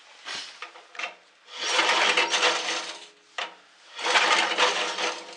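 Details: Two long raspy recoil pulls and short tugs with no firing on a late-1970s (1978) Gilson snowblower bought with no spark, ignition switch on, cold day; cranks but won't start. Owner suspects the worn safety switches.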